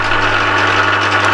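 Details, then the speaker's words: Used Emco Maximat V10-P geared-head lathe running at 240 rpm: even, steady gear hum with a constant low drone, a bit noisy but no knocks or rattles; normal running. "these are geared lifes I'll fire it up he's a bit noisy that's putting the power on at the moment when there's running at 240 revs"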